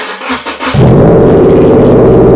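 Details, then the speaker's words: 2015 Subaru Impreza after Invidia R400 catback exhaust install, first start: cranks and catches quickly, then settles into a deep, even, steady rumble with no ticks or rattles; healthy idle. "first thoughts very very nice it sounds almost exactly my Antoine PAP's might be the same volume actually I'm not sure"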